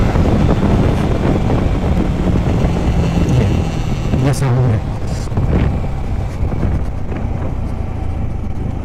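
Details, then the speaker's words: Yamaha MT-15: buzzy metallic "kirkir" rattle over a hard-pulling engine, starting only once revs reach about 5,000 rpm and getting worse over time; source unknown, service centre still investigating. "तो देखा आप लोगों ने वो sound जो आप लोगों को सुनाई दे रहा है व किरकिर करके जो साउंड उसमें बन रहा है वो तभी बन रहा है जब आरपीएम फाइ पर टच हो रहा है"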